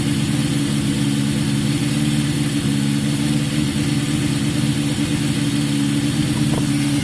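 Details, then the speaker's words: Yamaha XJ550 after a carb fix for a fault appearing after 15-20 minutes' running, cold start on choke: steady, even four-cylinder burble with no misses, knocks or surging; healthy warm-up idle, idle may need adjusting. "I mean, at this stage, it at least sounds as good as it did before. That's a good start."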